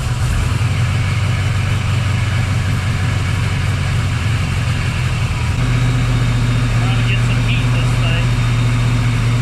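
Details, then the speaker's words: 1979 Camaro Z28 V8 after the Pete Jackson gear drive was swapped for an Edelbrock Performer double-roller timing chain, new balancer and water pump; running rich (AFR 12.7–12.9) after sitting, carburetor needs tuning. Deep, steady rumble, no gear clatter or whine. Normal idle. "I know it probably sounds loud but that is super quiet cuz you don't hear that Gear Drive"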